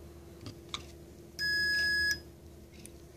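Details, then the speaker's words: 1994 Mercedes E420 non-ASR throttle body, bench test after wire repair: one steady high multimeter beep under a second as the idle switch is pressed; switch previously too free and not activating, now engages properly. "you can see when I activate the switch it beeps again sorry for choppy video but that's the best I can do so it does engage this is very good"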